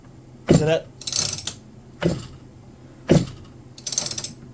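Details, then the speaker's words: McCulloch BP1 balance-piston chainsaw pulled over by recoil before carb rebuild: slow firm thumps from both cylinders (intake charging cylinder and main combustion cylinder), rope rattling between; strong compression, normal. "you pull it over and you f the Thump Thump of two cylinders one is an intake does the intake charging and boosting pressurizing of the main combustion cylinder"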